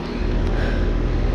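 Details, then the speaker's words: Goodman heat pump, 2002 two-ton, with a scroll compressor just started at about 74°F outdoors: steady, even low hum with no knocking, rattling or ticking; running smoothly, normal. "this thing actually sounds this thing actually sounds really nice"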